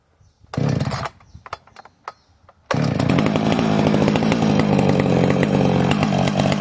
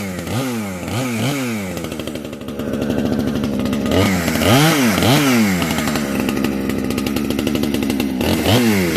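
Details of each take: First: Heavily modified Husqvarna 455 chainsaw on its third tank, not yet broken in; a few sharp pulls and pops, then rough, uneven high revs slow to clean up — slow to rev up when cold, cause suspected, not confirmed. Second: Heavily modified chainsaw with new homemade muffler (can), compression building as it breaks in, cutting a tree; sharp, crisp revs to a high scream with steady pull — normal full-throttle run.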